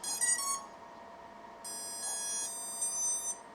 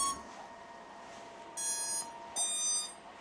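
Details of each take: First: 4-inch FPV drone on a 4-cell battery, powered up with the prop guards removed: ESC startup beeps come in staggered bursts instead of all at once, suggesting the ESCs are malfunctioning. Cause suspected, not confirmed. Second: Small 4-inch FPV drone on 4-cell battery at power-up, prop guards removed: two clean high ESC beeps, now in sync after earlier delayed separate beeps suggested ESC trouble. Normal ESC startup.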